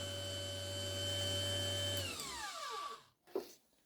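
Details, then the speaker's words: Truma SER caravan mover motor bench-tested on direct battery connection, moving very slowly with a steady even electric hum, then smooth spin-down when power drops; the motor works normally. "Moving very, very slowly, and you can hear it making a noise. So we know that's working."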